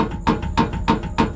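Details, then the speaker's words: Porsche 911 with K24 engine swap, car very low, on first legal drive: sharp metallic clunks about three per second over low rumble; exhaust shifted from its rest in the bumper and knocks against the engine cradle. "Could have caused this to move a little, which would be Oh, that's a clunking noise."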